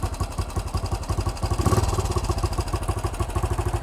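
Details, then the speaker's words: 1968 BSA Starfire single, idle screw turned up, now running on its own carburettor setting: steady, even thump at idle with no misses or hunting; sounds better, normal idle. "there we go the bike's now running on its own carburetor setting that sounds a bit better it does"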